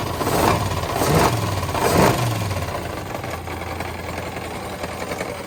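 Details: Long-parked truck first started after two-stroke mix added to cylinders: three quick revs then lumpy idle with dull knocking, worse on blips; bottom-end knock, suspected broken or spun rod bearings, oil suspected milky.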